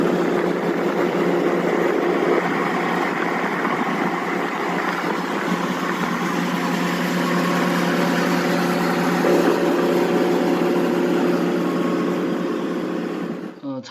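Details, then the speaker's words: Belt-driven blower: dull, even, low drone like a car engine bay, no clear knocks, indicating blower bearings progressively failing. "저거는 지금 이제 둔탁하게 자동차 엔진 룸처럼 들리는 건 베아링이 나가고 있는 상황이에요"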